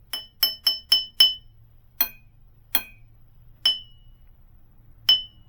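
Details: Model T engine rebuild, tap ring test on a transmission drum: each tap gives a clear bell-like ring that hangs on after the strike, with no dull thud as a cracked drum would give; the drum is uncracked.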